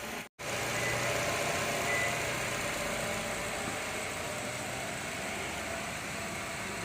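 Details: Nissan Altima after repairing the alternator feed wire for an overcharging fault, charging voltage now correct: quiet, even idle hum with steady revs and no rattles, ticks or whine; engine idling normally.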